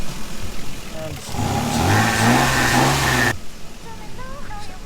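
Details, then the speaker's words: Lexus GS300 with naturally aspirated 2JZ engine, after a cheap exhaust-leak patch heat-cured by 20 minutes of running: engine revs briefly and settles to a clean, even exhaust note with no puffing; a slight residual leak remains. "maybe a slight I have a slight little bit still poking out but whatever we're gonna call again"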